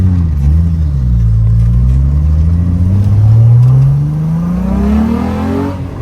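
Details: VR6 in a swapped 1984 Volkswagen Rabbit GTI runs smoothly, pitch rising and falling evenly with revs, no knocks or misses, after a fuel system rework; no leaks, healthy.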